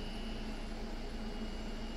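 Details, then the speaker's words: EXO clone tattoo machine on a power supply at about 5–8 volts: a fast steady buzz with a random, uneven rattle from a noisy cam. The owner suspects a bad bearing; not confirmed. "noise which to me sounds like a bad bearing and like I heard the one guy's machine after a year and I thought man I think it sounds horrible"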